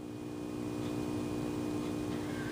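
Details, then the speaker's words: 1931 Airline 62-14 radio, close to the speaker, which had previously produced no sound at all: steady low drone with even overtones, unchanged, suddenly appearing as the set "fixed itself"; likely intermittent fault. "well that wasn't that was not there yesterday it was not there this morning all of a sudden it's working"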